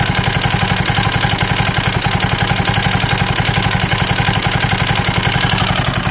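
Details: KTM 640 LC4 single-cylinder motorcycle: thumping at about 220 per minute carries a sharp metallic clatter on every beat; abnormal engine knock, top end or bottom end unknown.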